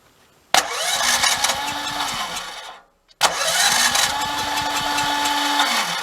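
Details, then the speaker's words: Generator at 1–2 °C cranked with the electric start button, choke on, after six failed remote-start attempts; two bursts of rapid, uneven cranking that never catch; owner suspects the electric start; cranks but won't start. "it does not want to start. This is not good. Choke is on."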